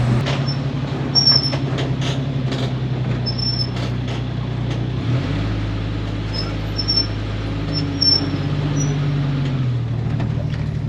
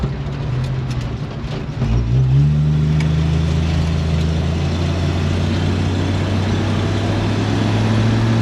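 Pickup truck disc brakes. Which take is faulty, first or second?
first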